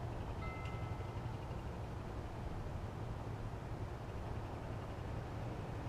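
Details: Restored 1976 Honda XL175 single, first ride after restoration with the clutch adjuster just set: steady low drone pulling evenly without revs flaring ahead of road speed; clutch gripping, accelerates cleanly.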